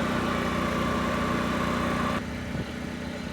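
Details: Generac LP3250 propane generator, about 7 years old, after regulator repair, choke off: steady even drone settling to a slightly lower note partway, no misses or knocks; running smoothly, 119 V 60 Hz unloaded, about 58.4 Hz loaded.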